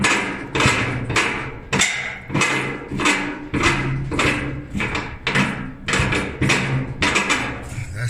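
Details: Kenmore dryer, drum removed, support rollers spun by hand: one gives a rough, squeaky rumble, showing a worn drum support roller; plan is to replace both rollers.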